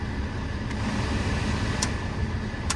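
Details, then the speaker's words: Car blower fan after blower motor resistor replacement, AC on, cycling fan speeds: steady even air rush, no squeal, rattle or ticking; all settings work, repair successful. "As you guys can see, all 4 settings are working. I don't know if you guys can hear it on camera."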